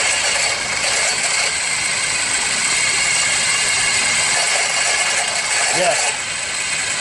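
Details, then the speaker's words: Running engine heard through a screwdriver or bolt held on the alternator: the power steering pulley sounds fine, but the alternator gives a fast, harsh, magnified metallic rattle from a bad bearing. "time it starts to rattle, you can hear it big time in here. It gets magnified. Okay? And that's how you check for a noise."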